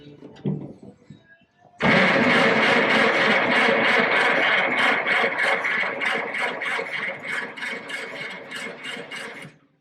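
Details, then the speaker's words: Engine cranking with the starter at about 220 beats a minute for seven seconds, with no firing or catch. Fuel is present, but the spark is noted as weak. Cranks but won't start. "It don't sound like no fire."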